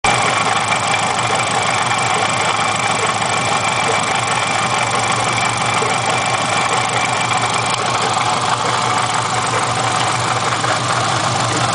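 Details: Engine at steady idle with a light even tick; owner leans toward not rod knock and suspects something rubbing on the timing cover; knocking noise at idle.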